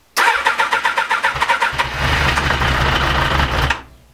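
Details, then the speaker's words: Honda CBR 1000F SC24 motorcycle, unused several weeks: starter cranks fast and uneven, a few cylinders catch weakly, then engine roars into rough running; hard starting after long storage, cause not confirmed, repair planned. "włączamy sobie Sanko i pokażę wam Po jakim czasie on dopiero zapali jak widać nie jest to od pierwszego że tak powiem"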